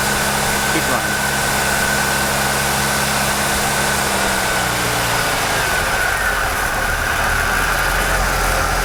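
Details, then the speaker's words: Jeep with a newly installed PFI fuel injection system, cold start: steady, fast high idle that eases down after a few seconds. This is normal while cold; the idle is to be set once the engine is warmed up. "okay Charlie okay did you notice noticed when it was first started up it idle up quite high this is very normal until they get warmed up they're going to run at a higher idle"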